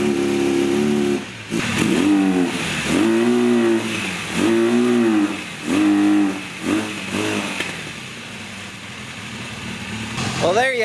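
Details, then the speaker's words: 1982 Honda Nighthawk 450 parallel twin, first start in over eight years after carb cleaning: repeated hesitant short revs about once a second that never climb to full; it cannot reach wide open throttle yet. "it it's not running at its full potential i can't get it wide open just yet but that's okay"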